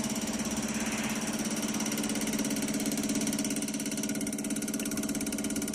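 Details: Toyota Hilux Tiger D4D diesel after repair of fuel system leak: steady even diesel clatter at idle, no misses or stumbles; engine settled and smooth.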